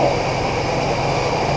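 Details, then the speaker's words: 1976 Chevrolet Impala V8 barn find, stored 22 years, about 20,000 original miles, fed from a boat tank after a holed fuel line: steady even idle, smooth low rumble, no stumbling; runs normally. "yeah so I'm gonna climb in there going we'll see if she moves it sounds great"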